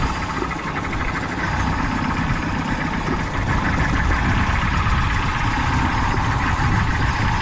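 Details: Peugeot 208 petrol engine idling with an uneven, lumpy beat, stumbling roughly four times a second: a misfire, traced to a cylinder by the old-school method.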